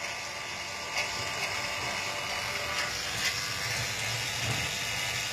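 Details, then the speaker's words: Vacuum pump evacuating a newly installed split air conditioner: after the manifold was closed for 5 minutes and reopened, the pump's light, even mechanical chatter did not change, so the system holds vacuum after about 30 minutes of evacuation. "No cambió en absoluto, quiere decir que el vacío está perfecto."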